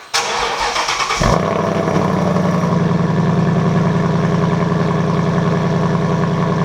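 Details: Roush Active Exhaust, driver's-side valve actuator replaced after internal failure; started in track mode (valves should be open), rear-of-car mic. Brief crank, then engine catches into a deep, throaty idle that settles quickly and stays even; exhaust healthy, normal start and idle.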